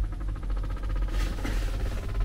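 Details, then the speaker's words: 2016/2017 Renault Master, ignition on, AC blower turned up: fast steady ticking over blower rush, quickening with fan speed; debris such as a leaf stuck in the under-dash blower fan. "and hopefully you can hear that ticking noise gets a bit faster as you turn the volume up it might sound different depending on what kind of um debris you have stuck in there"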